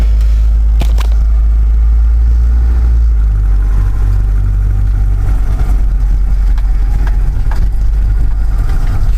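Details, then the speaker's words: 1985 Mazda B2000 ute, original carbureted 2.0 L engine, 310,714 km, no blow-by: cold start with a little choke and a few pedal pumps, though it normally needs none. It settles into a low, steady, even rumble with no knocks or misses. "so i'll give it a little bit of choke because it's cold normally it doesn't need any choke a few pumps there you go that's cold start"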